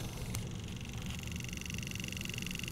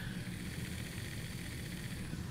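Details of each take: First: Pioneer CT-F1250 cassette deck, reel motor run directly on 5 volts from a power supply, microphone close by, house air-conditioning blower in background: light ticking about three a second over thin motor whine, from the worn reel spindle, not the motor. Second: Pioneer CT-F1250 cassette deck after the transport was removed and a wobbly reel part cleaned: soft, even hum and light whir, with no scraping or wobble, running quieter and smoother.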